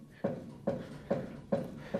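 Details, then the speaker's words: 1967 Southwestern Bell truck, first time running in over 30 years, front end rocked by hand: five heavy hollow bangs about 0.4 s apart, one front side stiff with no travel; owner suspects shock bottoming out, unconfirmed. "and you hear it banging on something so we're going to get under here let me get a light and we'll get under here and see what's going on"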